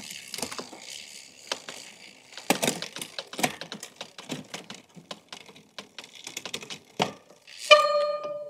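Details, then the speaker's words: Gravel bike during basic maintenance before an 80 km gravel ride, checking rear derailleur upshifts: crisp separate clicks as the chain steps across cogs, clean shifts with no grinding or chatter; normal shifting. "I-check ko pala yung shifting. Kailangan umaangat lang siya eh."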